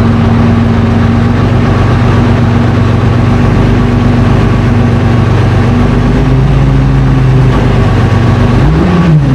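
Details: FV432 troop carrier diesel, long-sitting, being revived and running on real diesel: big diesel settles into a steady, even idle, then picks up cleanly on a brief rev with no misses or knocks; normal running.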